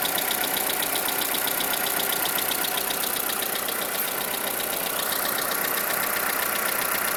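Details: 2011 Skoda Fabia engine at idle: a steady light tapping of about four knocks a second from inside the engine, cause not yet found.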